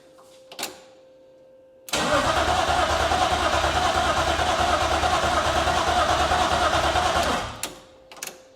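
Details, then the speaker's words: BMW E36 SpecE36 race car on its first fire after priming, with rod bearings checked and valve cover and oil pan gaskets replaced: steady starter cranking for about five seconds with no catch; fuel pumps not heard running, and the owner suspects a forgotten ground. "fuel Maybe all right so this isn't going well so far what did I forget I probably forgot a ground somewhere or something I don't think I hear the fuel pumps are run on"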